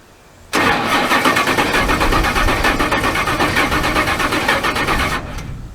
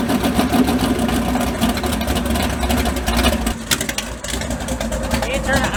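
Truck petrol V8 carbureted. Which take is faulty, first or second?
first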